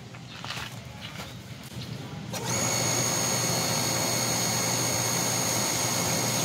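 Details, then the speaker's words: Automatic water booster pump that failed to start, capacitor tested fine at 7.6 µF: quiet start, then steady even motor whine with constant high tone; runs normally, start problem suspected related to water pressure. "niyo So walang problema umaandar parang related lang sa pressure or what"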